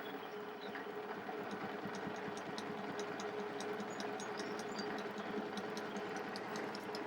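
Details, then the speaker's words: Harley Sportster magneto on a test bench after overhaul, with its binding bearing support fixed, cranked to about 200 RPM. Crisp, fairly even spark ticking over a light mechanical whir; it fires consistently, a normal healthy spark. "And you know, generally speaking, if they're sparking at 100 RPM, they're going to continue to spark all the way throughout the operating range."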